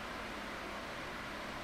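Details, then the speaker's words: 2002 Midea 16-inch oscillating pedestal fan with mesh grilles, before restoration, on low speed: soft, even rush of air with no ticking or rubbing, the typical mesh-grille turbulence sound; running normally. "so it does have that characteristic mesh Grille fan sound of the turbulence so yeah these mesh brills are not nearly as aerodynamically friendly for the fan blades compared to the standard or I should say more common radial spoke grills"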